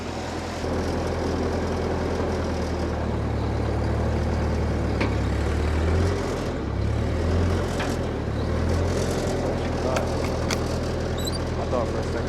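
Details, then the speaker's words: Ford 8N tractor with major issues, running before hydraulic pump rebuild; steady, even low engine drone with no cutting out, popping or misses over twelve seconds, running smoothly and healthy. "Sounds good. It does sound good. It really does."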